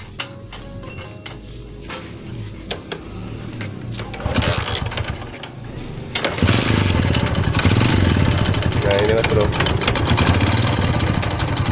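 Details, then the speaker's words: Honda Win motorcycle started up: rough fast ticking knock ("kotok-otok") growing with revs; right side cover opened and a rubber part found to be the cause. "ini ada motor hondan ini bunyi kotok-otok nah ini kita coba hidupin ya suaranya"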